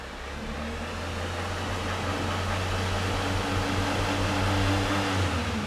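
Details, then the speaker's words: 2002 Renault Master 2.2 dCi van, no fault codes, no power, lots of black smoke: foot down, the diesel revs sluggishly and won't go past about 2,500 rpm, a dull labouring drone with no turbo grating sound; lack of power. "foot down it really struggles to revving it won't go past two and a half"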